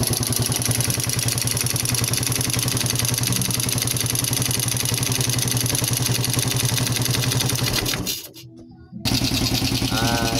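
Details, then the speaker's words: Yamaha Jupiter Z1 motorcycle engine after full teardown and rebuild, idling: steady quick putter, even apart from a brief dropout; sounds good, some remaining noise because the air filter hose is not yet fitted. "Oke jadi untuk di bagian mesin Kalau menurut saya pribadi ya ini sudah lumayan Meskipun tidak 100% ya E di bagian e selang filter udara ini belum kita pasang ya jadi masih ada suara berisik ya"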